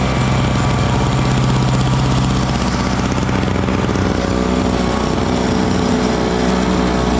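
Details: Small Frontier backyard snowblower clearing snow mixed with rocks from a shop floor: a small single-cylinder engine buzzing steadily under load with a clear, even beat and some scraping. It is running strong and healthy.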